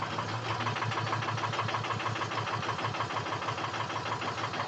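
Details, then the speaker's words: Truck with suspected injector harness fault, only two injectors showing on self-test, cold start after sitting overnight: hard start, then a steady clack about three per second over the idle; clattering, exhaust not choppy. "little difficult to start, a little clacky. I can hear it clacking."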